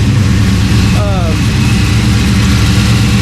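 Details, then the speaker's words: LS-swapped 1992 Dodge Dakota V8 after adding a catch can and adjustments, cold start, no vacuum leaks: steady even idle with no stumble, lope or hiss; idling much better, IAC valve may need more adjustment. "So that's good. There's no vacuum leaks. We checked that. And yeah, we're ready to go testing."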